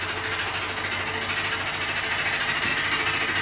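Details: New Beko WY124PT44MW 12 kg washing machine, 3rd or 4th use, light load (socks, shorts, sheet, sweatshirt, tea-towels): loud fast hammering rattle, two to three knocks per second with drum spin; transport bolt left in and feet lock-nuts not set.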